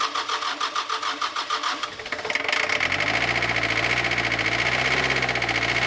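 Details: 1983 Ford Ranger with the factory 2.2L Perkins 4.135 diesel, reported to have fuel in the coolant, started on a fresh battery: it cranks for two seconds, then catches into an uneven, clattery, wavering idle with no smoke yet. The cause is unconfirmed.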